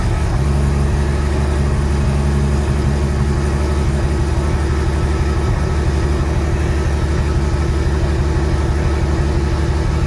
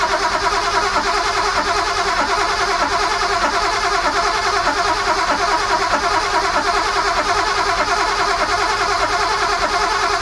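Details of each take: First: Sunseeker XPS 25 powerboat, BMW B220 engine, running on the muffs after priming the fuel filter water separator pump: deep, steady rumble holding an even rhythm with no misses or stumbles. Normal running. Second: Sunseeker XPS 25 powerboat, port BMW B220 engine, on a water supply at zero throttle: the starter spins the engine evenly for ten seconds but it never catches. Fuel was not primed; the fix was pumping the priming pump on the fuel filter water separator until hard.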